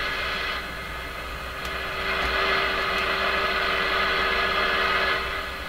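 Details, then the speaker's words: Hallicrafters S-38D communications receiver during oscillator alignment, tuned up to 30 MHz: a steady hiss with several fixed tones that swell and fade comes out on its own; owner guesses the alignment is better up there so it picks up noise. "wild guess could be the alignment of the radio is actually better up in this area and it's actually able to receive this this sound thing this noise thing they can't receive it down here"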